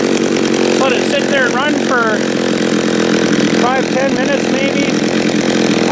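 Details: John Deere EV45 two-stroke chainsaw, made in Japan, after a carburetor rebuild, cutting wood. High, steady scream holds strong under the cut without bogging or four-stroking. The saw is running well.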